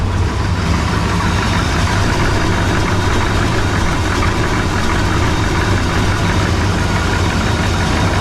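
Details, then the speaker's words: Chevelle V8 at idle: lopey idle with fast, dull tapping, deeper than valve tick; mechanic suspects forged pistons, wrist pin slap or valve lash, but thinks it sounds deeper; not confirmed. "Sounds like either forged pistons, wrist pin slap, or a valve lash that isn't quite right, but I think it's a little deeper sound than that."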